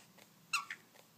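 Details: Maglite flashlight during an LED conversion, with the head screwed onto never-lubricated threads: two short, high-pitched chirps as the head turns, a squeak from a bone-dry O-ring, before Vaseline is applied.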